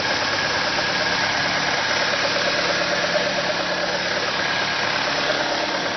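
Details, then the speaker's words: Car engine holding a steady, even but fast idle with no ticks or misses; it revs up at cold start and in P or N until shut off. Owner suspects a vacuum leak; carb cleaner spray test found none. "So I think there is a vacuum leak in anywhere. So today I want to check the vacuum leak."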